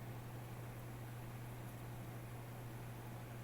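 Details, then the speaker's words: Gaming PC that wouldn't boot after cleaning, switched on after RAM reseated and CPU power connector corrected: steady low fan hum with an airy rush and hard drives spinning up, no rattles or scraping. It is starting normally. "Switch on, press the on button. We got fan spin. You can hear the hard drives"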